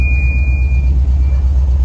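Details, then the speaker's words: VW Kombi on the road after adjusting the timing belt, suspected as the cause of a noise that used to appear when shifting and accelerating. Shifting from first to second, the steady deep engine rumble has no knocking or whining; the noise is gone. "e aí não tá com barulho nenhum eu tô mudando de marcha geralmente quando eu mudava de marcha e acelerava fazia o barulho né"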